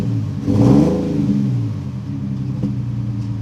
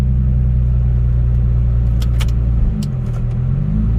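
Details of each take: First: 2008 Nissan 350Z, after reconnecting an unplugged injector: a rough, uneven rev that sags with a sharp pop, misfiring and backfiring. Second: 2008 Nissan 350Z V6 after repairs: smooth, deep idle with a couple of light blips that rise and settle cleanly, with no stumble; check engine codes are cleared and have not returned, leaving only an ABS code.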